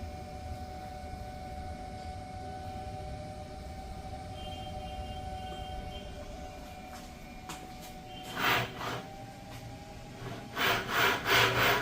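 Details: Volvo S90 electric power steering rack: quiet whirring hum, then rough rasping grinding in pulses as the steering is turned; the rack may be repairable.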